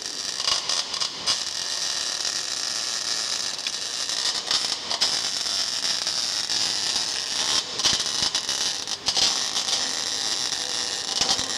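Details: Normal MIG (CO2) welding in the 6G position on an inverter machine with a wire feed unit. ER70S6 wire of 1.2 mm at 20.2 V and 145 A, with heated CO2 gas at 15 LPM. Steady, even crackling sizzle like frying bacon, no pops; the arc is stable.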